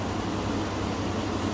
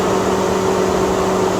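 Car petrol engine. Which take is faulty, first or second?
second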